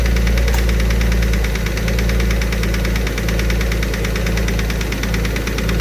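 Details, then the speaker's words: Alfa Romeo 147 GTA engine restarted after top-end work, rough idle with a deep steady bottom-end knock about four per second. Top-end rattle has quietened; the bottom end needs a rebuild. "oh man so yeah bottom end is knocking we've uh gone through everything else on the top end just to try and eliminate everything"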